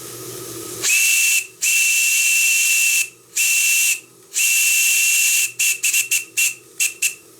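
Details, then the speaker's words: Stuart D10 live steam engine at 2 bar after pump repair: clear, steady high whistle in long blasts then short toots, with hissing steam between; the whistle works properly. "Et bien mon sifflet fonctionne en plus, donc j'ai 2 réparations pour le prix d'une."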